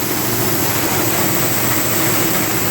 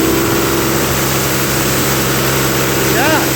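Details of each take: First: CompAir mobile diesel compressor revived after starter repair, fuel system bled: steady idle clatter with coarse, uneven edge under loud fan hiss; running rough, coolant leaking; injectors suspected and to be removed for rebuild. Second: CompAir mobile diesel air compressor being revived, radiator neck broken: steady even drone at full speed under compressor load, no knocks or misses, then drops away; runs well under load but quits when dropping to idle.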